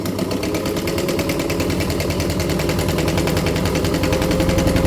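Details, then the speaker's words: Original Jones Model C sewing machine, taken out of storage after sewing hundreds of face masks, stitching fabric: even steady clatter at about four strokes a second with no knocks or binding, quiet enough to talk over; it runs sweetly. "But I can almost talk over the sound of this machine. This is one of the things I absolutely love about old machines like this, is my Husqvarna, which is great."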